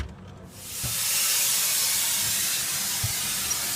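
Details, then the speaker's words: Air brake system one-way check valve test: primary (white needle) tank drain opened, loud steady hiss of air escaping; both primary and secondary (red) needles drop, so the one-way check valve is faulty. "You can hear the air escaping. And you notice the white primary needle is going down, but so is the red."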